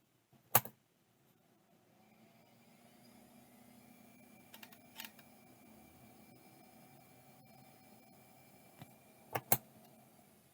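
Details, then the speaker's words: ExcelStor ES3220 (about 20 GB, Conner-derived) hard drive at power-up: faint thin motor whine rising, broken by a few sharp clicks; sounds wrong, drive not spinning up properly and judged not working. "I don't know if that's what that's supposed to sound like but I couldn't tell you no idea if that's working or not sounds like it's probably not which is a little bit of a shame but for 10 bucks who cares"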